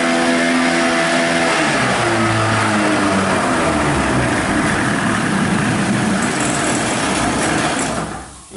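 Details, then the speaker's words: Johnson/Evinrude 25 hp outboard, cold-started with primer and warm-up throttle: runs loud and buzzy, then dies about five seconds after dropping to idle; suspected idle circuit problem in the carburetor. "five seconds and then motor dies okay when you have an issue like that you can pretty much assume that you have a problem in the idle circuit of the carburetor"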